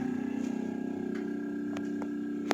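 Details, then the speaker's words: Refrigerator that is very noisy and not cooling well runs with a loud, steady hum, a shrill high tone and light clicks. It is louder with the door open. "Kulkasnya berbunyinya nyaring sekali, bising telinga mendengarnya."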